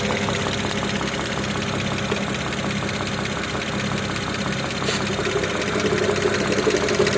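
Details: BMW 335i E92 with N54B30 engine at idle after 8 minutes of warm-up: sharp, regular tapping about four times a second over the engine note; no knock when cold; cause unknown.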